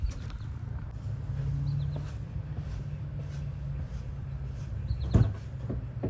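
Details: 2020 Jeep Grand Cherokee 3.6 V6 just after serpentine belt replacement: low steady even hum with no ticks, squeal or chirp; smooth healthy idle.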